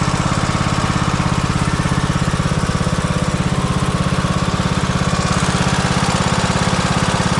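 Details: Craftsman T140 MTD riding mower, Briggs & Stratton 18.5 HP OHV single cylinder, after camshaft, lifters, oil seal and governor replacement for a destroyed cam: even, steady thumping with no knocks or misses; runs smoothly and healthy.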